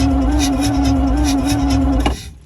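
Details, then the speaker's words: Alvis Stalwart not run for 30 years, new batteries, corrosion cleaned off: steady starter whirr with even cranking pulses then stops without firing; crank no-start, no spark, owner suspects dirt inside and may need to set point gap. "No spark. There's obviously just shit in there. I might have to just set the point gap."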